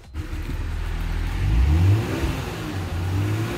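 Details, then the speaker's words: Kia Stinger GT GDI engine revving smoothly on a drive along country side roads right after an intake valve and fuel system carbon cleaning; the clean, steady, rising tone has no misses or rattles, and it sounds normal. "sounds good eh sounds smooth so we went out for lunch let her run a little bit on the side roads there and sounds all right"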